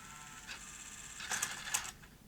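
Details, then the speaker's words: 1989 Sony EVS1000E Hi8 recorder with Sony U-mechanism deck, tested during repair: short motor whirr and crisp mechanical clicks as the cassette lifts out; normal tape eject. "okay let's try a tape and eject and that's all correct and proper"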